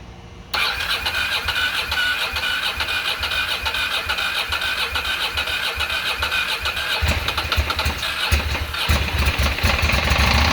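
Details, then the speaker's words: 2006 Ducati Monster S2R 800 after fuel pump replacement and injector cleaning, first start in years: cranks and catches within a second, settles into a lumpy but steady twin-cylinder idle, then blips up cleanly; normal start and idle. "sounds like a ducati to me"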